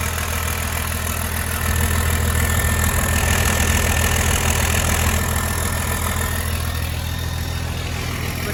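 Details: 1993 Cummins D350 chassis with 12-valve diesel and automatic, idling in Park with driveshaft hanging while checking alternator charging: deep, steady clatter at an even idle with no misses, knocks or squeals; healthy engine, nearly 14 volts charging.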